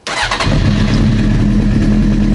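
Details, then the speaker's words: Honda CBR900 Fireblade four-cylinder, airbox and tank refitted after running-issue diagnosis: starter catches instantly and settles into a smooth, even idle with no misfire, popping or backfire; normal start and idle. "So let's see if it'll start and run as a normal, you know, one of these bikes would start up."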